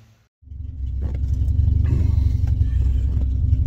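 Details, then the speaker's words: 1986 Ford Cortina P100 after swapping in a replacement ignition coil when coil or distributor failure was suspected. Silence, then the engine catches and settles into a steady, even low rumble with no misfire, running normally. "may be able to tell from that sound that I got it started change the coil throwing Airline around and it's running"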